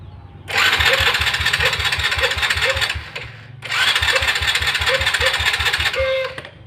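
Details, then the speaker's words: Honda Supra Fit motorcycle with a no-start complaint, partly dismantled, cranked with two starter bursts of about 2.5 s at a steady ~4 beats/s that never catch; cranking no-start, ignition fault suspected and spark plug to be checked next. "Suprafit dengan kendala mogok, kita akan cek ya. Oke, kita coba hidupkan ya."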